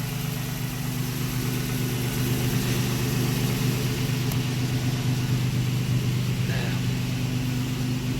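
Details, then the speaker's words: Nissan Sentra with VQ engine, first start in 8 months, no radiator fitted yet, warmed up about five minutes: smooth, steady low rumble with no knocks or misses, sounds like a 350Z or Maxima; normal warm idle. "let me get you guys some exhaust notes but this car sounds really good sounds like 350z maybe a Maxima"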